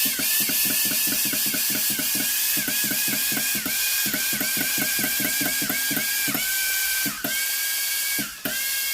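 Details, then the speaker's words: Philips GC9682 steam iron on test: fast even water-pump/solenoid-valve ticking about five per second with a steady high tone, valve working normally; fault was the water-feed button, fixed by replacing the microswitch. "Hay un sonido. La electroválvula funciona."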